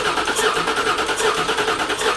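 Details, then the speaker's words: 1979 Toyota Cressida with 5.4L V8 swap, first start attempt with empty tank: steady starter cranking with even, healthy compression pulses, turning over but never catching; no fuel reaching it. "oh there's no fuel so that means if we crank we're not going to have anything"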